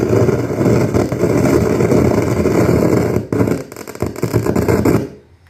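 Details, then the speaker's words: Anvox ACA1001 amplified speaker box: loud rough crackling and hiss with sudden pops and dropouts, volume control has no effect; hiss stops when switched to Bluetooth mode; cause not yet known. "Os alto-falantes pipocando. E vocês viram que eu tentei atuar o volume aqui para baixar o som. O volume não atua."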